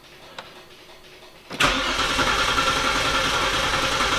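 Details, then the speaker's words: Saturn with service engine light, BCM removed and inspected, throttle body clicking in run position: starter cranks steadily at about three and a half beats a second but engine never catches; crank no start. "it's not starting I have taken the BCM out and just kind of inspected it checked all the plugs"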